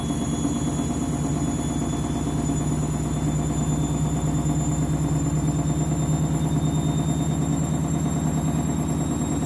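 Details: Candy washing machine loaded with new clothes, final spin ramping up: a heavy low rumble with a steady pulsing throb about three beats a second, an abnormal strange noise.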